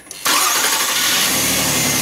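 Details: 4th-generation Nissan Maxima after starter replacement; the old starter gave a slow, unusual crank. Now a quick crank that catches almost at once and settles into a smooth, steady idle, so the new starter sounds healthy.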